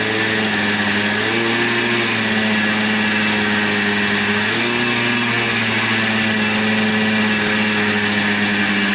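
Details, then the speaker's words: 1996 Yamaha Blaster 200 two-stroke quad, after the carburetor was reinstalled and the leaking fuel fixed: crisp revs that climb and settle cleanly with no bog. It had bogged with no power, thought to be carb flooding plus a pin in the wrong position. Sounds fixed. "definitely revs out more give it that i think it's uh pulling on the throttle cable though sounds pretty good i think she's fixed"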